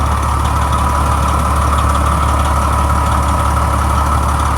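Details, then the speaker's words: Retired 1998 Pierce Quantum fire truck diesel idling: deep, steady rumble with a soft even beat around two per second, no knocks or misses; sounds great, healthy idle. "Sounds great."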